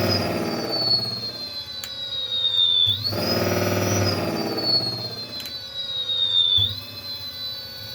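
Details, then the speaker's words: Electric motor tested on a temporary controller ahead of a Votol EM-150: clean high whine sinking and rising with throttle changes, no grinding or rattle; started after being jarred, motor running fine. "Yeah, it is working. Okay. Must have needed to jar it."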